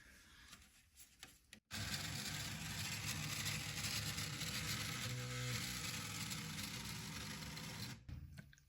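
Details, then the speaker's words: Bambu Lab P1P 3D printer homing XY: harsh rasping grind with fast stutter about three pulses a second as toolhead tries to move; a stepper motor grinding, which motor not yet known, replacement parts from support. "And the problem I'm noticing is the head will just start crazy grinding whenever it tries to move."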